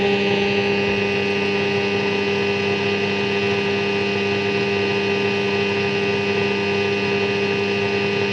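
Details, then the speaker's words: Philips 3362A 1946 Australian valve radio powered up to around 180–200 V, aerial connected: steady hum, hiss and fixed whistling tones with no clear programme; works but weak and distorted, fading away. Cause not confirmed. "okay it is working doesn't sound very good though very healthy I should say"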